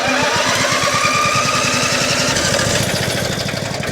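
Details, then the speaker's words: Salvage Breaking Bad-style RV generator, restarted after pumping fuel: small engine chugs with even pulses, about three or four a second, slowly sagging. Lights came on for two seconds, then power output cut out, cause unknown. "we got lights hot damn we got lights well we had lights with headlights television no ah we were so close ah [Music] it worked for two seconds for two seconds we had power damn it to hell man this is frustrating"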